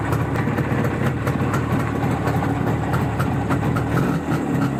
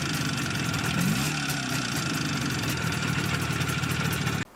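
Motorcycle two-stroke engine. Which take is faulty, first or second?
second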